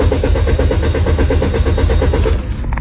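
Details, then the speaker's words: Car that cranks but won't start despite a new throttle valve and checked spark plugs, ignition coils and fuel lines: starter churns evenly, about seven pulses a second, for over two seconds, and never fires. Cause: a dirty camshaft position sensor. "again did you see it this car won't start no matter what do you know why"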